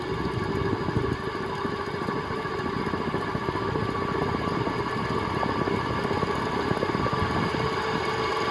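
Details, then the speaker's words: 1979 SMC M48 metal-blade ceiling fan: steady motor hum with rapid, irregular clicking and clunking from badly worn bearings, likely dirt, gunk or rust; WD-40 made it worse, and the bearings are to be replaced. "1979 you can hear that clicking and clunking probably which is the it's due to the dirt and gunk or rust or whatever that's in the bearings"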